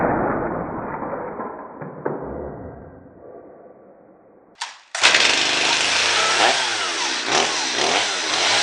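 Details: Stihl MS230 chainsaw after fuel line replacement, plug cleaned and fresh gas added: after a few quiet seconds the saw fires and settles into a steady, high buzzing run with no misses or stumbles.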